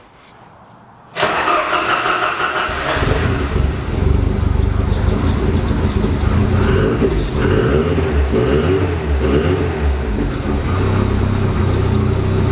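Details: Ford Sierra Cosworth first start after fuel-line work and leak check, no drips: quick crank, catches at once, brief rev, then steady, even idle with no misses; running healthy, no leaks seen.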